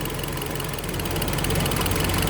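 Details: Uneven idle with an irregular stumble in the low thump; misfire traced to an air leak at the intake manifold.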